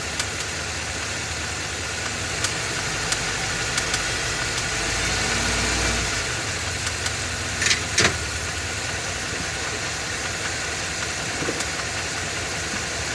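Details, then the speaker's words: Ford F250 7.3L Godzilla gasoline V8 on a hot day, serpentine belt removed per a TSB, idling with slight load. Light, irregular ticking knock over a noisy, hissy idle persists with the belt off, so it's internal; engine later replaced. "then he found the TSB where you take off the uh serpentine belt and to see if the noise is still there so this is the video clip of him doing that the noise is still present"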